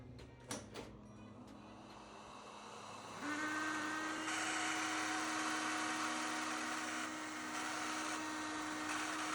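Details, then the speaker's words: Dirty vacuum cleaner turbo brush head spins up with a steady whine and thin high squeal over the airflow, from unlubricated brush and propeller bearings; fix is to open, clean and lubricate them. "Bir de ötüyor bunu nasıl temizleyeceğim nasıl sıfırlayacağım göstereceğim şimdi çalıştırıyorum ötme sesini dinlemeye"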